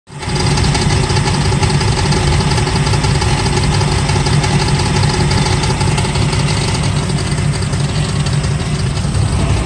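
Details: LT1 Camaro at idle: steady idle with a loose, uneven metallic rattle over the engine note; cause not yet pinned down.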